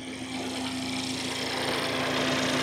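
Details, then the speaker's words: Ford EcoBoost, first start after reassembly with oil pressure built up first: steady, even idle with a smooth hum and light hiss, no knocks or misses, AC fans kicking in. Engine running healthy. "Look at that. Perfect, sounding like a little singer."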